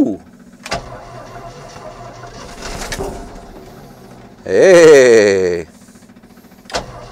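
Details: Old car/truck revived after sitting, given fresh gas and fluids, with a possible fuel leak at the carburetor base: quiet stretch, then a short burst of cranking that catches with a rising roar before settling. Engine cranks and starts.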